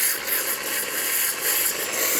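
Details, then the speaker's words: DeLonghi PrimaDonna Exclusive 220V espresso machine, milk container fitted, steaming on the cleaning function: a steady hiss of steam with an even, strong gurgling, bubbling rush. Normal steam wand operation. "Okay, now that we have the container, as you can see, steaming pretty well on the cleaning function of the machine."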